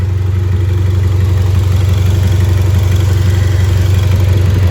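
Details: Repaired race car after running about 20 minutes, no leaks, coolant and temperature fine. Steady, even low idle with a smooth regular beat and no knocks or misses; engine healthy and settled.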